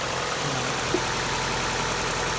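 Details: 1.8L NA Mazda Miata idling: fast, light ticking over the engine hum from noisy hydraulic lifters. The tick began during warmup, became intermittent, then constant; it is being treated with an oil change plus additive.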